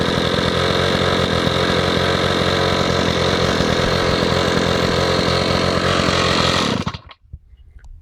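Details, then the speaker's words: Stihl 045 AV chainsaw, first start after a brand new piston and rings: strong, steady two-stroke buzz holding even speed, then cut off; no rattle or miss, compression sounds good; normal running. "this saw has a brand new piston and new rings in it that's the first time I've heard it run"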